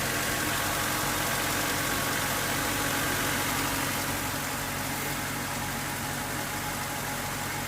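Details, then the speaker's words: 1998 Honda Civic EX, D16Y8, five-speed manual, after fuel pump replacement: smooth, even idle at steady speed with no misses, knocks or hunting; runs like new, charging at 13.8–14.5 volts; normal idle. "one fuel pump later and she runs like new let's see if it's charging"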